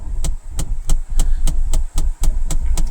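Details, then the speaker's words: 2022 Mahindra Bolero Neo, engine idling: steady khat-khat knock about 3–4 times a second from behind the dash corner, starting as soon as the car starts; also occurred 2–3 months earlier, then vanished; owner suspects a solenoid valve, source unconfirmed. "खटखट खटखट सी आवाज आ रही है इस corner से ये आवाज क्यों आ रही है बीच में भी पहले भी आई थी आवाज"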